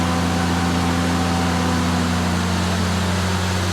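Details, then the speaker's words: 3rd-gen Dodge Ram 5.9 Cummins diesel at raised idle, test ground switch killed on the electronic cooling fan: steady drone while the fan roar sags within a few seconds as the clutch unloads. Normal fan clutch disengagement. "You can hear approximately how long it takes. It's only a few seconds for it to unload. The fan speed's coming back down."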